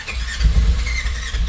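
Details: General XP fuel-injected side-by-side, cold start after 3 months unused, battery weakening: slow labored cranking with a low chugging beat, almost catching but never firing into idle.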